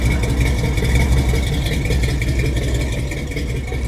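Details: 1966 Chevy C10 V8 with finished welded 3-inch exhaust, headers and Flowmaster Delta 50 mufflers: deep lumpy even idle burble, no ticks or knocks; belt needs fixing; normal idle.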